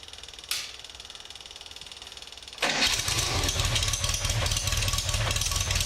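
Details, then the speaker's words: Swift FF95 Formula Ford with a misfire and a history of hard starting, stone-cold first start: two seconds of cranking, then it fires straight away into an even, strong idle. "I think uh that started straight away really surprised with that"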